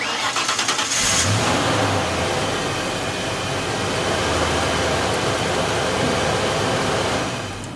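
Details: 1992.5 Ford Mustang 5.0 LX start after starter solenoid relay and battery replacement: quick, even cranking for about a second, then a clean catch into a steady, smooth idle; healthy start.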